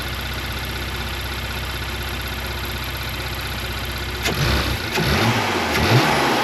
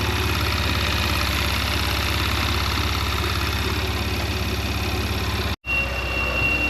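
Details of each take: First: Porsche Macan after PCV valve replacement, idled 4–5 minutes then throttle blips: steady even idle, revs rise and fall cleanly with no tea-kettle whistle; the fix worked. Normal idle and revving. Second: Porsche Macan, warmed up 4–5 minutes and then blipped about three times; a thin, high, kettle-like whistle comes in over a steady idle, from the PCV valves, quieter when cold.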